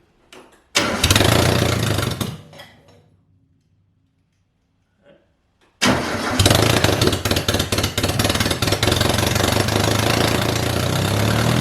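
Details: 1978 MG with 1.6L Miata engine in a cold garage, after idle air control valve delete to fix a vacuum leak. Fires, dies, restarts, then holds a steady, slightly fast cold idle; normal idle.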